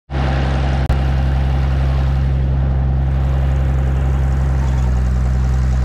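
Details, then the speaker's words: 1950s Galion 503 road grader sitting 10+ years, first run after electrical fixes and fresh plugs and fuel: deep, steady rumble with an even beat and no misses, knocks or rattles; runs smooth and healthy. "I can't believe how good this thing runs man very first time in po here"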